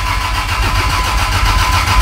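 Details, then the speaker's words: Fresh engine in a Toyota 80 Series Land Cruiser on its first start, with an 11.5 V battery sitting in the passenger seat: the starter churns steadily but laboriously without firing, a slow crank from a weak battery. "I don't know about the battery, it's in the passenger seat and it's only got 11.5 volts, so it might not go far yet."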